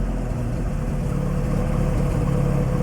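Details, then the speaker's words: Lotus Excel on choke after resealing exhaust joints with exhaust paste and fire gum: steady, even low idle with no puffing from the joints, much quieter. "doesn't sound like it's blowing [Music] it just sounds a lot quieter"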